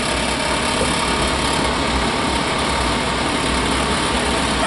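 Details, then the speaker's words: Furnace in a 5th wheel travel trailer, started by flipping a switch, motor dusty but otherwise fine: a constant, even whoosh of air over a low steady hum with no rattles or scraping. It is blowing out nice and warm; the blower runs normally. "Let's see if I get any heat out of it. Definitely blowing out nice and warm."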